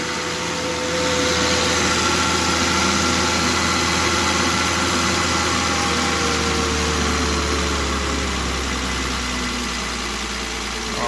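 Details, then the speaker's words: Volvo XC90 start with parts loosely fitted and unclamped: steady, even idle with smooth hum and no ticking or clatter, quiet and healthy. "listen to that right there peace and quiet"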